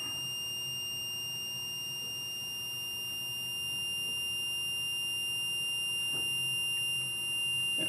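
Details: MPJA 35716 MP battery low-voltage alarm module, set point set to 11.6 V. A steady, piercing high-pitched buzzer holds because the voltage is below the set point.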